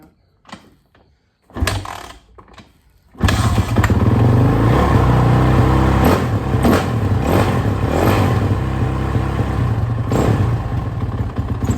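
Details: Suzuki RMZ450 after major head and engine rebuild, first start on third kick with choke: lumpy hunting idle, rpm jumping erratically and stumbling; owner suspects lean condition.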